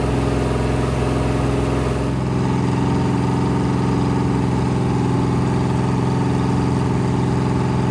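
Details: Rebuilt 426 Hemi crate V8 (new heads, intake, pistons) on a run stand during flat-tappet cam break-in, 50 psi oil pressure: steady even high idle near 2400 rpm, smooth exhaust note, no ticks or knocks; healthy.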